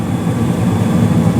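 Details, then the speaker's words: 2016 Carrier single-stage gas furnace, five years old, no leaks, blower starts 23 s after ignition: steady even low rumble, no knocks, rattles or squeals; normal operation. "yeah it's been good there's been no leaks um everything's been everything's running good for five years now so very happy about that"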